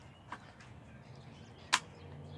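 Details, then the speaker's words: Polaroid 250 camera fire button pressed; a single sharp click with no second snap, so the shutter is not firing. "Okay, so you'll only hear 1 click if it's not working. For example, if you didn't pull it all the way out."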